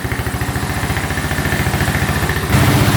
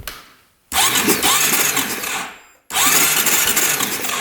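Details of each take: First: 2012 Honda Rancher 420 4x4 ATV idling with air filter off, slightly lean with occasional backfire: fairly even single-cylinder thump, no codes, no oil leak; sounds healthy. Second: 2012 Honda Rancher 420 4x4 ATV that cranks freely after its starter was freed up: two bursts of fast cranking that never fire; there is no spark at the plug and the kill switch works, so a bad ground is suspected.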